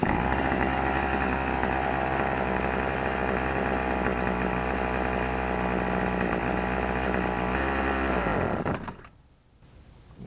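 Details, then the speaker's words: Troy-Bilt XP string trimmer with Zama C1U carburetor, before cleaning: buzzes steadily at idle about eight seconds, then bogs and cuts out as soon as throttle is given; stalling under throttle from a clogged carburetor. "it'll idle fine but you can't give it any throttle whatsoever without it shutting off"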